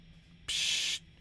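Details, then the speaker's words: Spark Mini guitar amp, Strat with Lollar Tweed pickups in position four straight into the amp, recorded with a Shure SM7B, no gate or compressor on; muted strums bring a bright gated-sounding hiss that switches on and cuts off. Cause unknown. "so there's no hum coming through the guitar itself and you can just hear the hiss that's going on with the amp"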